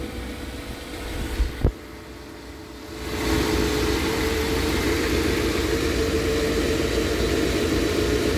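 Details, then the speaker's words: Engine first started after head gasket replacement, cold start: quiet, catches at once, steady even idle, quieter than before, no knocking; possible exhaust leak on one side. Normal idle. "so far it sounds quieter and i don't hear any knocking sounds like i got a leak on the exhaust on this side"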